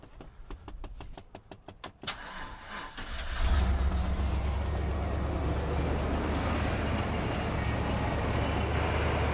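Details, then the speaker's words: Vehicle unstarted for months, stalled shortly after being jump-started with a DeWalt DXAEPS14: rapid even cranking for two seconds, then it catches and settles into a low steady idle rumble. "Okay, it just shut off on us. Let's try to crank it again."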